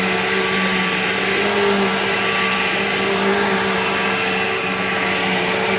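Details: Bissell PowerGlide Platinum 3545-2 upright vacuum, acquired around 2018, running: a steady rushing motor with a clear high whine on top that never wavers. Owner calls the whiny wah noise bizarre and does not know its cause.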